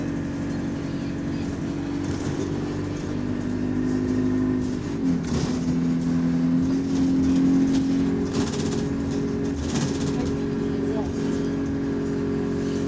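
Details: Bus GAL 731 on route 126 to Bromley Town Centre: diesel drone climbs and settles through the gears with a quick light ticking, roughly four per second, repeating under throttle; cause undetermined.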